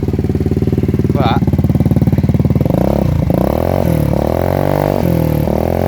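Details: Lexmoto Gladiator 125 four-stroke, cold, exhaust baffle removed: loud, blatty, unmuffled bark at idle with revs hunting up and down; loose baffle plate suspected of earlier ticking.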